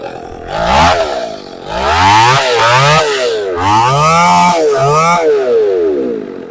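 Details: Chainsaw after a new carburetor was installed: picks up crisply through several throttle blips and drops back to a steady idle without stalling or sputtering; runs about five minutes.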